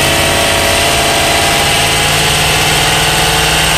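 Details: BMW E92 M3 S65 V8 at 65,600 miles, oil changed 300 miles earlier: loud steady idle with a fast, light top-end tick at a constant rate; louder cold, still present warm. Cause not yet found.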